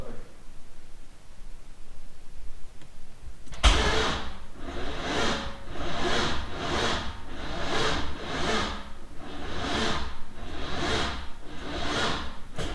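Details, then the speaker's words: Freshly built LS3 swapped into a C6 Corvette, first start: the starter grinds in slow, heavy surges, the engine dragging round, tight as if trying to seize, never catching. It turned by hand before install; tight bearings or a ground issue from block paint are suspected. "We're back down at the garage, and I cut off that part of the clip because as you heard, it didn't start. The engine sounds really, really tight, and I don't understand why, because everything was done completely to spec by me."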